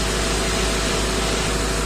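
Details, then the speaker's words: 2006 Ford F350 6.0 diesel: steady, even, low smooth idle with no misses or knocks, ICP 1300 desired and actual, regulator 39-40%; normal idle. "I guess we just had to build up oil pressure. Desired pressure 1300, actual pressure 1300, and pressure regulator percentage of 40%, 39-40%. That looks good."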